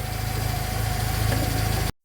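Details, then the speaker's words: 2004 Smart ForTwo 450 700cc turbo petrol, rebuilt engine, just fitted with a new exhaust/catalytic converter replacing a cracked one; held at fast idle per instructions. Steady even fast idle, smooth low exhaust note, no knocks or blowing, brief cutout; healthy. "so why have you done that instruction says to run it at a fast idle is it fast idle for 8 minutes"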